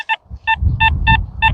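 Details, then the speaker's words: XP Deus 2 metal detector in an Ayrshire field, target reading 89-90: short, clear mid-pitched beeps about three a second with a scratchy, buzzy edge, suggesting an iron-contaminated target. "It's definitely a bit of a, I don't know whether you hear that through the speaker, there's definitely a bit of a buzz."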